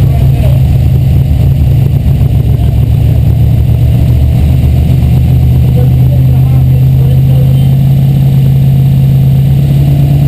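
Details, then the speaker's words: Mazda Miata with swapped 5.0 V8 and carburetor on first start, choke on: loud, lumpy deep uneven burble with steady low drone; running rich, timing being set to mark. "She's rich, ain't she? Yeah, but I can, the choke, that's why I reached up and flipped the choke off, because it was, you can actually see it opening up now."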